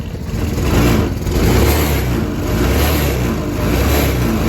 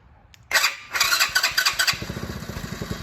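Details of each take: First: Go-kart small single-cylinder engine in neutral after replacing the carburetor with a new PZ20: revs rise and fall cleanly with the throttle, no misfire or stumble, though the idle is slightly off. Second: 2020 go-kart small engine right after a PZ20 carburetor change: pull-start rattle, then it catches with a few quick pops and an uneven putter that fades and dies instead of holding a steady idle.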